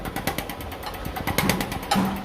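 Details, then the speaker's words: BMW F10 injector on a test bench after repair by replacing the control valve set, nozzle tip not replaced: crisp even ticking about eight per second with no misses; the injector sprays normally. "สาเหตุหลักๆก็โดยการเปลี่ยนชุดคอนโทรลวาล์วนะครับฉีดปกตินะครับ"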